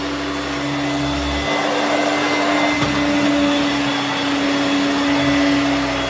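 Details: Hoover Turbomaster U5094 upright vacuum after refurbishment of both seized motor bearings (fan-case one had spun on the armature shaft), brush roll off: smooth, even high-pitched motor whine at steady tone, no rattle or grinding; healthy.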